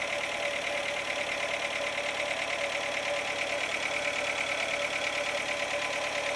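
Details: 2007 Renault Logan 1.6 8-valve engine, driven about 20,000 km with the knock: hard, fairly regular knocking, roughly three per second, over a steady engine note; internal engine knock, cause unknown.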